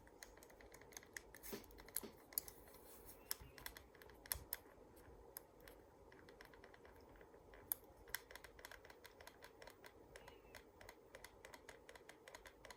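Irregular sharp clicks with light scraping at no steady rate; the mouse is making unexplained mechanical noise, cause unclear.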